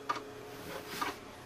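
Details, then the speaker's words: Power Macintosh 6500/275 with an IDE hard disk: two sharp dry clicks about a second apart in a quiet room, the repeating head click of the failed hard drive. "there's the click of doom again what I don't think pixel likes that noise"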